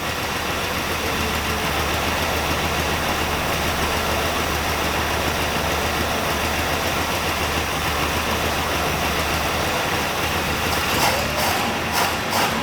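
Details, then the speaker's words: 1965 Buick LeSabre V8, sat 34 years, just revived, vacuum advance hooked up and timing too low: lumpy idle with an uneven rock in the firing rhythm, no sharp knock. Rough idle, timing to be checked with a timing light. "still gotta Rock to it but let me go get my timing lock see if I can figure out what that is"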